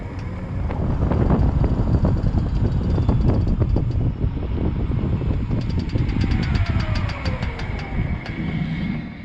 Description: My Prius Gen 4 makes a clicking sound when slowing down. Seems to be coming from the front driver's side wheel/axle.